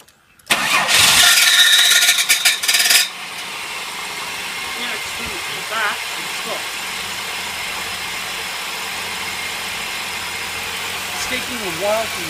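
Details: 1999 Holden VT 3.8L V6 automatic after rear main seal replacement and transmission refit: harsh metallic grinding on start-up, then a rough idle; the engine plate had been fitted backwards, and it was fixed.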